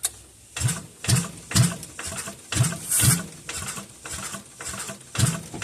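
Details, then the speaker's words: Old single-cylinder Onan 3.0AJ-1R RV generator being test-fired on carb cleaner: sluggish, uneven starter chug about two turns a second, dragging and fading; slow cranking from a weakening battery. "Battery's getting weak. All right, stop."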